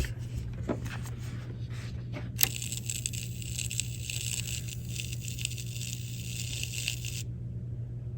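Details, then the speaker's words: Fisher RS-220 receiver (bought dead, no power): steady low mains hum with irregular sharp crackles and hissy spitting. The power switch contacts are arcing, worse when the power button is held in. The snubber capacitor is possibly failed. "It could be that little snubber capacitor in there. Seems like it happens more if I hold the power button in. So it's the power switch."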